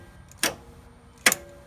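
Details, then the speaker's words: 1949 Chevrolet Styleline with rebuilt starter and new solenoid, solenoid wired to a hand switch bypassing the car's harness: two sharp clicks a second apart with no cranking; jumping the solenoid turns the engine over. "alright so this is the solenoid wired directly up to a switch which I have in my hand so the cars wiring harness isn't involved at all power to the solenoid"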